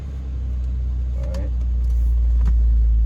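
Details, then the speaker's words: BMW E46 after secondary air check valve replacement for a check engine light, cold start after sitting a day or a day and a half: deep even rumble with steady airy drone underneath; secondary air pump running normally. "i haven't started this car for like a day or a day and a half so it should be a cold start and the pump should be running as soon as they start the car"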